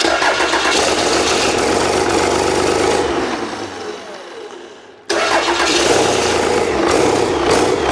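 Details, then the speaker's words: Old 12-valve Cummins diesel stored for almost a decade, first start after freeing a seized fuel solenoid, not hooked to anything. Catches and runs rough and uneven at a lumpy idle, dies off and fires again; idle not set properly. "oh let me let me hold over here first oh [ __ ] idle's not set properly either"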